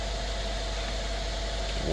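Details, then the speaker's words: 2016 Mercedes-Benz S550 W222 V8 idling after ignition coil and spark plug service: smooth, steady low idle about 800 rpm, down from near 1,000 rpm before; no misses or shaking; normal idle. "100% better uh the idle changed I think before the idle was some I think it was close to 1,000 RPM uh we're we're just at about what 8 800"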